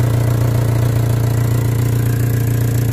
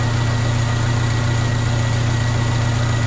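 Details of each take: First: 1998 Honda Civic VTi at lowest idle: loud, deep, boomy drone pulsing about three times a second. Exhaust escaping through a suspected hole in the muffler, mid-section, clearly audible. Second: 1998 Honda Civic VTi with erratic idle, restarted after stalling and idle set lowest: low, steady idle hum with smooth even beat, no hunting or surging; idle now low and stable.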